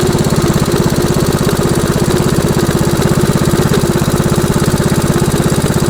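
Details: MTD Snowflight two-stage snowblower, 8 hp Tecumseh Snow-King engine, idling to warm up and burn off old fuel, which was starving it: steady even thump about three pulses a second, no misses or knocks; normal idle.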